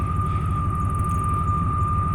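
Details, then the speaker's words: 1995 Chevy Silverado K1500 Z71 with 415,000 miles at a low, even idle, with a steady high-pitched moan or drone from the engine bay; source not yet identified. "that that's the sound that's coming out another truck it sounds weird yes that noise I catch them actually don't like that noise because that noise gives me the creeps"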